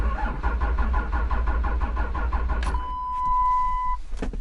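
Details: Third-gen Cummins Mega Cab with a cleaned, reset TIPM: steady even cranking for about three seconds that never catches, then a dash chime. Codes P2609 intake air heater performance and P2509 ECM power input intermittent; a bad TIPM is suspected, not confirmed.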